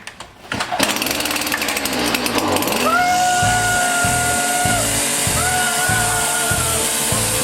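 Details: Stihl FS 70 RC trimmer just after recoil rope replacement; a few rope pulls, then the engine catches and settles into a steady buzzing idle with even pulses; runs normally.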